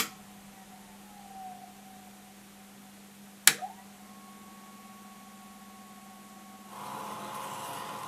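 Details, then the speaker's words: Vintage Leevers Rich Series C location reel-to-reel tape recorder, case closed: steady low hum with a faint higher whine and one click from the rotary converter running normally, after a DC converter possibly revived its capacitors. "enough to make it less miserable for the rotary converter to actually spit up even with a case closed you can still hear it humming"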